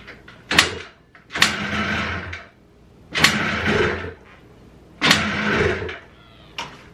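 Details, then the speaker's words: Blaster two-stroke after a float and float-bowl plunger fix pops and sputters in uneven bursts, nearly stalling; idle air screw misadjusted with too many turns out; rough low idle from misadjusted idle air screw. "seems like it idles too low to get like maybe 190 or something like that but i turned it off because it was running really rough and i didn't want to cause any damage"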